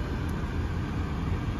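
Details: 2010 VW Jetta, manual, 188k miles, just after start-up: quiet, smooth low rumble with no knocks, ticks or misses; steady normal idle.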